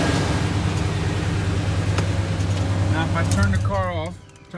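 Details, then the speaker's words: 1989 Chevy K1500 Silverado at idle on a cool morning: light, uneven tapping about three times a second; owner, after ruling out torque converter bolts, attributes it to the starter pinion barely catching the flywheel, only when cold, never warm. "that tapping noise is it's intermittent it only does it in the morning when it's cooler it never ever does it when it's warm outside or if i've been running the truck for a while"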